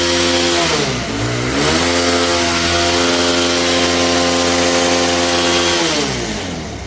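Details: Bajaj Pulsar 220F BS4 after engine rebuild (seized engine, damaged connecting rod, head and bore machined at lathe shop, washed and refitted): smooth even exhaust note, revs drop and climb cleanly and hold steady, no knocks or rattles; healthy engine.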